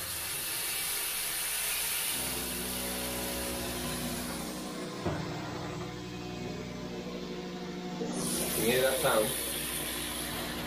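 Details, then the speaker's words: Water hammer heard while water runs from a kitchen mixer tap: running hiss with a steady droning judder in the pipes, also whenever cold taps or the toilet are used; caused by the tap dripping constantly, fixed by replacing the tap. "water hammer and the reason we were getting that water hammer sound is that you they're getting it every time they open the cold taps the toilet anything to do with the coal they're getting it and the reason we're getting water hammer is because this is slightly dripping constantly"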